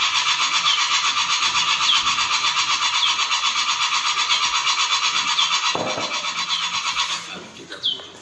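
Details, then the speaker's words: Komatsu PC200-8 excavator that won't start after replacing six injectors, codes CA559 and CA2249: starter cranks evenly at about four compressions a second without firing; actual common rail pressure only 30 versus about 367 commanded. "Cuma 30 aja, jauh banget kan, harusnya 367, 65 lah, ini cuma 30, berarti seberapa ya, soalnya nggak bakal naik."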